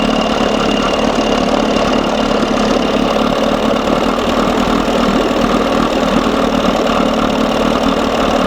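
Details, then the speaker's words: 1987 Johnson 6 hp outboard after carburetor linkage fix and gearcase oil change, still running too cold: steady even buzzing idle, no misses, surges or knocks; smooth, though owner still hears an intermittent noise, maybe something loose. "sounds good baby sounds good"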